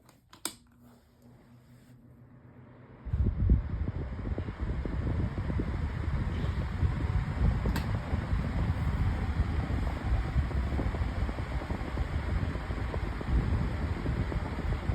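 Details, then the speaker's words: Lasko 18-inch table fan refitted with a 16-inch Optimus blade, on high speed: spins up quickly, then a steady, even whoosh with a low hum and no ticking or rubbing. Normal running. "and that's actually whipping out a pretty good breeze, not going to lie."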